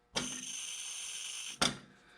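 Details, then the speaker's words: Hand fuel pump on a Bolinder Munktell marine semi-diesel (oil engine), refitted to the engine during restoration: one steady hiss of about a second and a half ending in a sharp clunk as the stroke ends; the pump works and delivers. "So the pump does work, and pretty happy about that."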